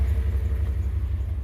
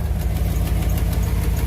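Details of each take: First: 2001 Dodge Ram 1500 4x4 after tightening loose exhaust manifold bolts on both sides: deep, even V8 rumble with steady pulses, the earlier ticking and spitting gone and the exhaust sealed. Normal idle after repair. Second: 2001 Dodge Ram 1500 4x4 at idle: sharp, regular ticking about two per second keeping time with the engine, heard from the back of the exhaust manifold. Exhaust manifold leak.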